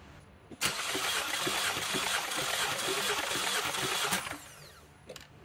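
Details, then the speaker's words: 2014 Chevrolet Cruze 1.4L turbo, compression test on cylinder four with plugs out: about 3.5 seconds of even cranking at roughly 3.5 beats per second; reads 210 psi, all cylinders close, good compression; earlier fluid suspected from a weak ignition coil. "and that's right there at 210 so all cylinders seem to be um fairly close I mean right at 210 and or um or a little bit lower than that so we have good compression on this engine"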